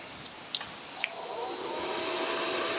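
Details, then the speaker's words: Refurbished blower fan from a Flathead Ford project, motor wiring repaired, positive ground, bench-run: soft airy whir rising and holding steady, no scraping or rattle; sounds like brand new. "so that's not too bad and sad look sounds like brand-new"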